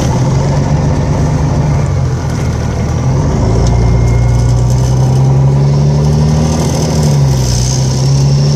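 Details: Volvo 7700A diesel city bus from Budapest (FKU-942) at idle: deep drone whose low tone wanders up and down over seconds; weird noise these buses often make, cause unknown.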